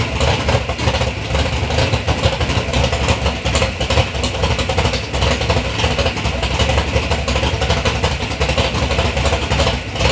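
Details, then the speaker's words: 3rd-gen Camaro big-block Chevy V8, first start after years of building: deep, lumpy burble with throttle blips, firing even and strong with no knocks or misses; healthy V8 revving. "all right guys so we got the car fired up that is a big relief off of my chest"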